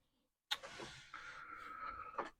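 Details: Commodore PET 4040 disk drive 0 after replacing broken belt: click at power-on, then steady mid-pitched whirr about a second as spindle motor spins up cleanly; normal spindle motor run.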